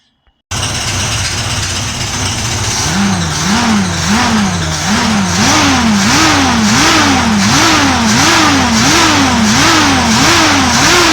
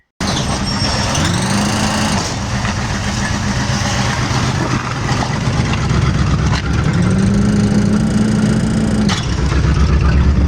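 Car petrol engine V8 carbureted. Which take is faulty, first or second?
first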